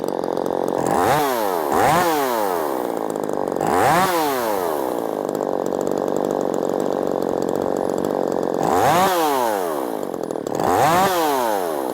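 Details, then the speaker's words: Ported Poulan Pro 4620 chainsaw after re-tuning the low and high carburetor screws from baseline: snaps up to high revs and drops back cleanly in repeated quick blips, crisp and even; runs healthy. "Killer little saw. Killer little saw. I mean, it's just a bang up good little saw."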